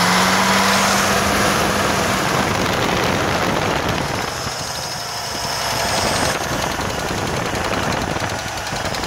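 Steady idle with a light, fairly even tick riding on top, about four a second; source of the tick not pinned down yet.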